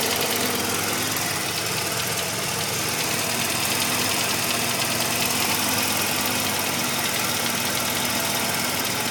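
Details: 1985 Mazda RX-7 rotary at warm idle: busy, rattly knock under a hissy background, occurring only once warmed up; owner hopes it is a pulley, unclear whether it fades when revved; source unknown.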